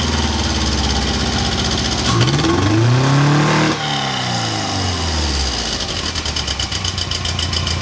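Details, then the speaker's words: Porsche 914 project with newly fabricated exhaust (header plus cheap temporary muffler) for quieter running and correct wideband reading: deep, smooth note climbs under throttle then drops to even idle; revs cleanly and sounds healthy. "I don't know if I you guys but I think it sounds really good"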